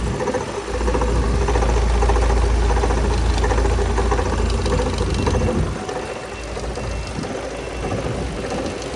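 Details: Chevrolet Cruze 1.8 engine at idle: steady whirring tick about four per second over an even idle, abnormal noise from the front accessories; cause suspected, not confirmed.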